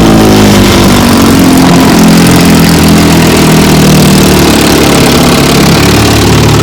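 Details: Fully restored 1954 Johnson QD-15 10 HP outboard running under way, pushing a 14-foot craft about 17 mph: loud, steady two-stroke drone at even speed without stumbling or surging; pumping water well and running cool, healthy.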